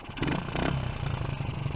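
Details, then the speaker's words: Honda CG125 project bike with an open pod air filter, carb still bogging down a little, exhaust not leaking. A low single-cylinder pulse with a bubbling, air-through-water suck on each intake stroke, mostly noise from the filter. "it really does sound like um i don't know somebody tries like air through water and that's a lot of it is just the noise from the filter"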